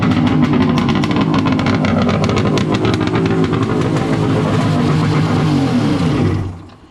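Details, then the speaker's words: Wave Blaster jet ski after a 701-to-1100 engine swap, running after a rubber O-ring was removed to increase cooling water flow for a warm silicone pipe. Loud, raspy, steady two-stroke roar holds even for six seconds, then shuts down. Normal running. "Geez, this thing's a damn beast. It's so loud, you cannot talk at all."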